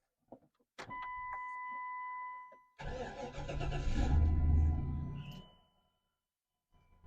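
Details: OBS single-cab donor truck just picked up from auction yard, very dusty, reported to run with a blown part: chime, brief crank, engine fires and revs strongly before shutting off; healthy start.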